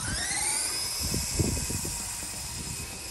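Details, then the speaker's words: Radio Shack Sonic Thunder RC truck (Tamiya Midnight Pumpkin clone), modded, two-speed on 3S: gears skipped in low, switched to high; high whining motor pitch climbs and holds, no gear-skipping clatter; normal running in high gear. "so i'm going to switch it back into high too much torque for low on 3s all right here we go it's on high and uh on 3s"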